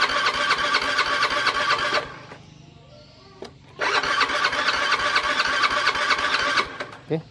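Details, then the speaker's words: Honda Beat FI scooter that won't start, fuel pressure reaching about 40: starter whirs about two seconds, stops, spins nearly three seconds more; engine never catches, injector check next. "masih gak mau ya, Kang Bro. Masih belum mau hidup."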